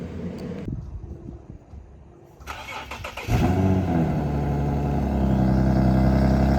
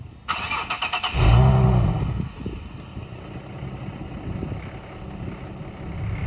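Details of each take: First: 2009 Infiniti G37x, possible muffler delete, cold start: brief crank, catches and settles to a steady, even idle with a deep exhaust note; the nasty rattle it had before is gone, a normal cold start. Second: 2009 Infiniti G37x at idle after start: loose tinny rattle from underneath, also in reverse, silent while driving; owner suspects catalytic converter heat shield vibrating, not confirmed.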